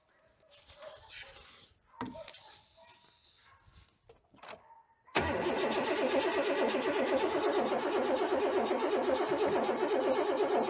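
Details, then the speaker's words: 1997 Chevy Silverado C1500, 5.7L Vortec V8, sat for years, new plugs and wires; steady, even cranking at about two turns a second that never fires. Fuel pump not heard and owners assume no fuel. Cranks but no start. "sounds like it turns over decent yeah it does"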